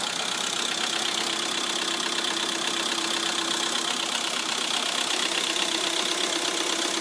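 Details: Lada Priora at idle: fast, even light ticking about two to three per second from the hydraulic lifters; after repair, two hydraulic lifters were found to have failed.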